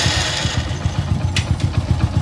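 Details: Hero HF Deluxe motorcycle, about 80,000 km, just after complete engine rebuild; small single thumps at quick even idle, no tapping or crank knock: normal idle.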